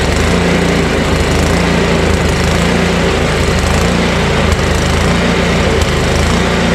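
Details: Ariens ST1128 28" two-stage snowblower, 11HP Tecumseh Snow King single-cylinder, cold day, starts on electric start without adding gas; runs with mild surging at speed, not stalling at idle; carburetor seems fairly clean, owner suspects buildup in pilot jet before carb cleaning.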